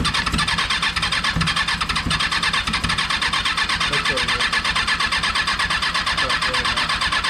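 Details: Freshly installed rebuilt Kawasaki 636 engine, first start attempt: fast, even cranking for several seconds without catching or running; cranks but will not start, cause not confirmed.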